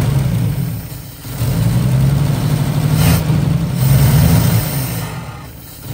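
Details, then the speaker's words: 1955 Chevy running on fuel poured into the carb, as it still isn't drawing fuel on its own: low, uneven rumble swelling and sagging with throttle blips, runs briefly then longer than before. "all right if you takeaways from this experience well first of all we were able to actually get it to run for a little bit longer so that's good uh here run for a few minutes she sounds really nice um however it's clearly still not suc"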